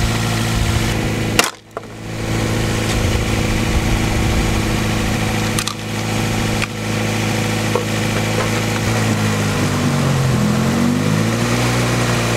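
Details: Car just back on the road after a cooling system bleed and a replaced control valve: an idle drone that sags and dips, with the speed wandering up and down. The replacement valve changed nothing, and the unsteady idle and bogging have an unknown cause.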